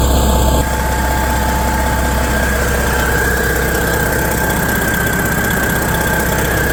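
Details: 1994 Kenworth T600 with a 12.7L Detroit Series 60 diesel, running after new exhaust manifold gaskets and bolts to fix a manifold leak. Smooth, steady idle with a deep, even rumble and no ticking or puffing; sounds sealed up and healthy.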